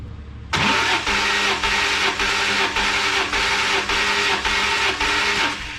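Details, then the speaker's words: E46 BMW M3, cranked for a compression test after the failed CSL airbox incident: even steady cranking pulses, 175 psi on the good gauge; healthy, balanced cranking. "all right check it out let's crank [Music] [Applause] it we got just 175 on the dot"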